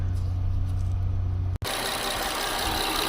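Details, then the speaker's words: 2007 Honda Odyssey after valve cover replacement, limp mode after 10-15 miles: uneven lumpy idle with steady hiss of rushing air; crumbling intake boot leaking air, fixed by replacing boot and computer relearn. "yeah that's not normal it's trying to SL like an air leak"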